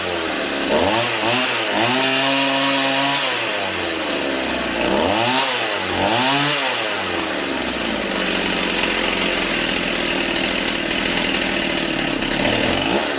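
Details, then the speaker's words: Stihl 028 AV Super chainsaw, warmed up, after carb rebuild, tach at spark plug: saw blips and drops back to a buzzy, wavering idle with soft low-speed response; low-speed needle to be turned out slightly, target idle about 2400–2700 rpm. "I'm probably going to have to turn the needle out just a little bit on the low speed so it's a little more crisp, and then I will hone in on the idle speed."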